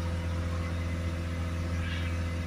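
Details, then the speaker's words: Peugeot Boxer 2.0 diesel van with a new AdBlue tank, codes P24A4/P246C and high DPF pressure (about 200 mbar), started for DPF cleaning: steady, even drone held around 2500 rpm. Revs are limited by the DPF fault. "okay we're back in the vehicle that's going to start up we have around about 200 millibars yeah we are limited that to mirrorless limited on about two and a half to the RPM"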